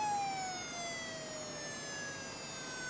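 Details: Very old laptop hard drive powered on: thin, high-pitched tones slowly slide down in pitch with no steady spin; abnormal noise as the drive struggles at spin-up.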